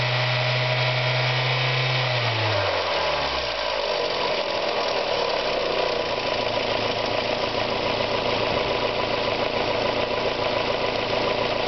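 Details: Mazda Miata engine run down from high rpm; light irregular ticking appears and gets loud as revs drop, fading at high rpm; owner suspects hydraulic lifter tick, rod knock or bearing failure, unconfirmed; engine ticking at low rpm.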